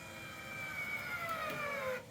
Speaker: so you could hear it load up at the end there and you just adjust that potentiometer so there's not too much strain on the vigola but so that it is fully closed